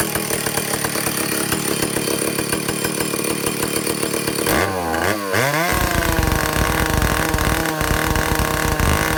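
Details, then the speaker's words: Vintage Stihl 051/075/076-type chainsaw after air leak and fuel system repair, high-speed needle adjusted, no bar: crisp high screaming rev, brief pitch drop, then even strong buzz; running right on tune. "I can get it to peak out at about 9400 RPM. And so that's where I'm going to leave it."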